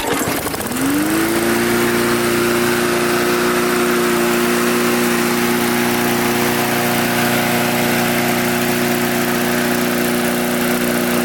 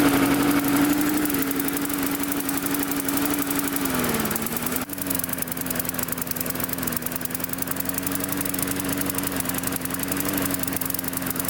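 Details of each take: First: Mid-2000s MTD Yard Machines push mower, oil clean but slightly low. Catches within a second and holds a steady, even note at constant speed with no hunting, surging or misfire; runs healthy. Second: Mid-2000s MTD Yard Machines single-cylinder push mower after tightening a loose blade. Speed sags and hunts before settling; the carburetor was loosened off the intake pipe, letting air in, and the diaphragm needs reseating or replacing.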